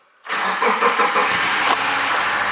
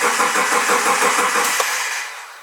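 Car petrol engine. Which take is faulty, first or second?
second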